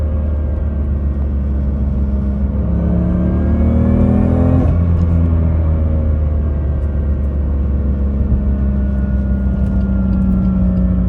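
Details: BMW M2 DCT with polyurethane transmission mounts, driving: gear whine climbing with revs for four seconds over engine rumble, then dropping; heavy vibration and gear or flywheel clatter transmitted through stiff mounts.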